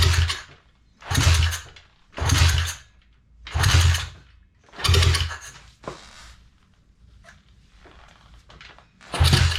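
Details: Neglected Thumpstar pit bike that won't start, after a new fuel line and filter: six cranking bursts of soft chuffing turnover that never catch.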